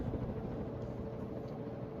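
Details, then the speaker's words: 1981 Hunter Original 52-inch ceiling fan, model 22372, started from a dead stop straight to high: steady mid-pitched harmonic hum over airy whoosh; owner suspects the face plate vibrating, not the slag glass light, which is quiet. "Some of that sound may be the face plate vibrating a little bit."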